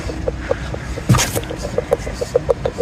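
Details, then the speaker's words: Ford Fiesta Mk7, driver side rear wheel jacked up and spun by hand, no engine: light, evenly spaced clicks four to five a second, stopping when a finger touches the centre cap; cause was a loose wheel centre cap. "If you can hear that, if I put my finger on there, the noise stops. It was a loose center cap the whole time."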